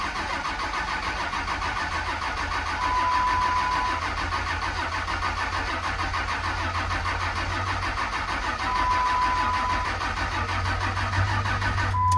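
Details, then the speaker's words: 2006 2500 single-cab Cummins diesel, automatic, over 200,000 miles, long parked: slow labouring starter churn about three turns a second, no firing; batteries (dated 3/19) too weak, neutral safety or fuse also suspected. "Yeah, we got nothing. It's not even clicking. I don't know if that is a neutral safety thing, or if we blew a fuse or what."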